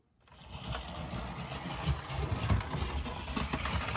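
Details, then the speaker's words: Mainline Railways Royal Scot split-chassis model locomotive, previously squealing, after being taken apart and reassembled: motor spins up to an even, smooth whirr with light track rattle and no squeal; normal running. "Oh, well, that sounds so much better."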